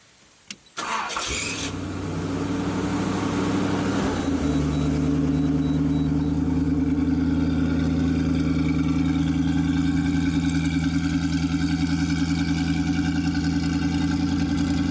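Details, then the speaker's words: Hot rod with full dual exhaust, cold start after pumping the gas three times to set the choke: brief crank, catches at once and settles into a steady, even, deep idle rumble. A healthy start. "sounds pretty good yeah it's got a nice little Rumble to it"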